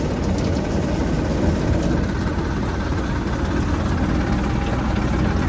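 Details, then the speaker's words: Tractor-driven straw reaper (bhusa machine) at only 7 throttle setting: steady deep roar with constant fan rush, no knocks or surging; fan spins very fast even at low throttle after RPM setting. Normal running. "अभी देखिए tractor मात्र 7 की race पे है। 7 की race पे होते हुए पंखे आवाज़ मार रहे हैं।"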